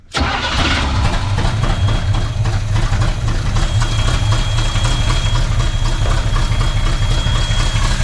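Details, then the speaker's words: 1980s Chevy C10 truck that sat 20+ years in the woods, first start on premix gas poured into the carburetor: the engine catches at once and settles into a steady, even low idle with no misses or knocks; normal idle. "Listen to her idle. Yes! I got to make some more gas, and we're going to let her idle a little bit longer."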